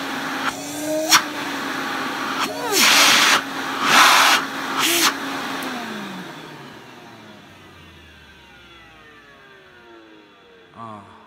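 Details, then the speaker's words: Electrolux 304 cylinder vacuum cleaner after cleanup, now with much more suction; a smooth, steady motor whine that spins down evenly when switched off, with no rattle or grinding, normal motor running. "Oh, I love that sound. Right, okay, without further ado, let's get it on the floor and have a go."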